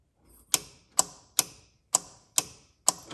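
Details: EZGO TXT gas golf cart that won't start: six crisp metallic clicks about twice a second with no cranking while the solenoid is jumped directly; it pulls in when fed directly, so its supply cable is open.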